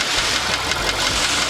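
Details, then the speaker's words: Skoda Fabia 1.6 CFNA at idle: rapid, sharp metallic knocking, pistons slapping in cylinder walls. Scoring looks minor but the knock is severe, likely from overheating or a lean mixture. Decarbonizing will be tried before an engine replacement. "Самое интересное, что задиры не выглядят какими-то существенными, но стук прямо вообще неприятен."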